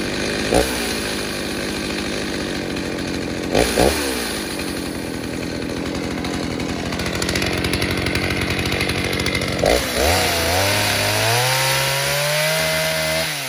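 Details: Stihl 029 chainsaw with 45mm top end, first tank since rebuild: high two-stroke scream holds strong through the cut, drops and climbs again cleanly, no bogging; normal cutting under load.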